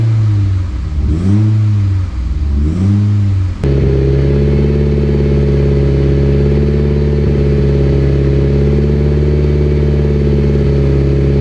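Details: Freshly built 800whp Mitsubishi Evo X, just after first start and break-in: two smooth throttle blips then steady even idle, no knocks or misses; only wastegate and evap codes logged.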